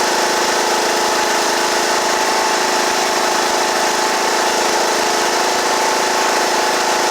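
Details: John Deere E110 riding mower after deck belt replacement: steady, even engine drone with no knocks, misses or squeals. Running smoothly.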